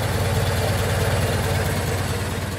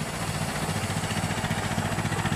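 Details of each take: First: 1925 Ford Model T four-cylinder at completely closed-throttle idle after spark advanced; steady even putter with no misses or stumbles, much smoother than retarded — normal idle. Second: 1925 Ford Model T after hand-crank start: slow, lumpy four-cylinder idle with uneven stumbling pulses, running rough because the spark is retarded; advancing the spark makes it run much smoother.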